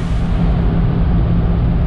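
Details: RV after a new fuel pump and a new exhaust, with its no-power problem fixed, cruising at 50 mph on Route 66. Deep, even exhaust drone holds steady with no misses or knocks; engine running smoothly.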